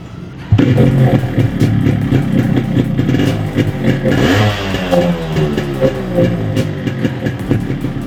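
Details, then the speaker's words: Yamaha RX 135 two-stroke after cylinder block and piston work to cure piston noise; engine now runs with a steady crackling putter and no loud piston slap, the noise much reduced from before: normal running after repair. "अभी sound जो है पहले से बहुत कम आ रही है।"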